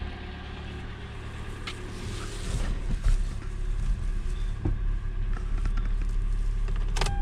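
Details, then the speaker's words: Car warming up after it started once the fuel pump was touched, suspected intermittent fuel pump: low, steady idle with even rhythm and a few handling clicks; runs fine, pump replacement deferred. "Alright, the car continued to run just fine, and the customer wants to wait till the fuel pump goes out again until they want to replace it, so we'll do that."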